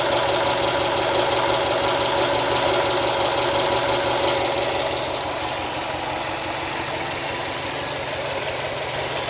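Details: Brand-new 2013 Subaru STI with 1500 miles at idle: fast, very even ticking about three per second over a smooth idle, softening slightly as idle settles; owner unsure if normal for this engine.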